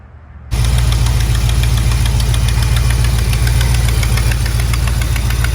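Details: Mopar B-body big-block V8 ("General Lee") at idle: a fast, fairly regular tick about three or four times a second that suddenly appeared on a start after a weekend of driving; owner suspects the exhaust flange gasket.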